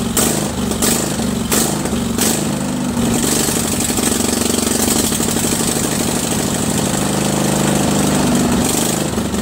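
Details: Craftsman 20.5HP 46" lawn tractor, Kohler Command V-twin, running off rear gas tank with choke off, before carburetor cleaning: loud twin wavers up and down, surging badly at all throttle speeds from a dirty carburetor.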